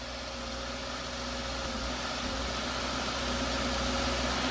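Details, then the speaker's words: Subaru WRX after one-day engine swap, first start with fresh oil: warning light clears, steady even idle with smooth low drone, no knocks or misses. "It's good. It's good. Oh my God, that was scary at first."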